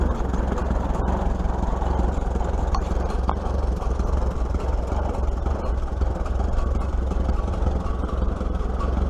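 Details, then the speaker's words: 1941 Case SC tractor after governor repair, tested on a hill. Low, steady, even firing with no hunting or surging. It picks up going uphill and no longer bogs when the clutch is thrown, running much better: normal running. "I'd have to say it runs much much better you guys can hear that dump him pickup when we go up the hill"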